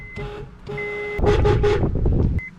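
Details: 2009 Honda Accord (8th gen), stock horns: two short presses give only a thin, quiet, buzzy tone barely above the idle; the horn is weak.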